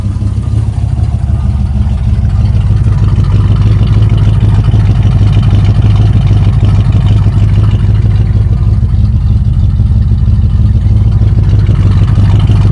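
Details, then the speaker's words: 1965 Chevy Nova wagon with a new Holley 450 carburetor, run without the choke or air cleaner: idles smoothly and not rich, then holds high revs freely without bogging, making the belt squeal, which it couldn't rev fast enough to do before. "idling really smooth, and it doesn't smell rich at all. I like it."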